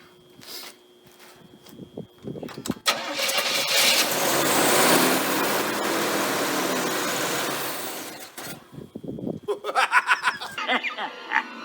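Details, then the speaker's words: 1980 Chevrolet Monte Carlo with a Chevy small block, sat for an unknown time, fuel poured down the intake: a few slow cranking turns, then it starts cleanly to an even fast idle and shuts off. Sounds good; oil change planned. "oh I'm a little shocked but not completely because it is a Chevy small block but I'm not going to run it much more than that I'm happy it actually sounds pretty good"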